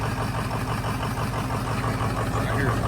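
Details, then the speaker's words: Car started after a hard burnout, driven home running poorly, no smoke; low, uneven idle with a lumpy beat that stumbles now and then, a slight misfire. Owner unsure of the cause, also hears a possible leak, maybe exhaust. "Well, you're going to have to get your does have a little miss."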